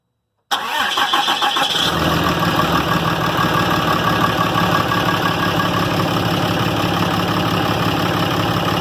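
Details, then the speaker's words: 2012 RAM diesel after its failed VGT turbo (HE351) was rebuilt and reinstalled, first start: short crank catches quickly, settles into a steady even run with no misfire, knock or turbo whistle; a normal start. "so we're gonna start it see what it does okay kion okay that noise I haven't heard in a long time"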